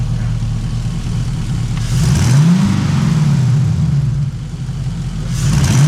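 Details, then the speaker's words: LS-swapped Trans Am with a newly fitted exhaust, after a long sit and once the startup tick is gone: deep V8 rumble swells smoothly on each rev and settles to a steady burble, with no tick or rattle; normal revving. "But listen to this. Sounds good, dude."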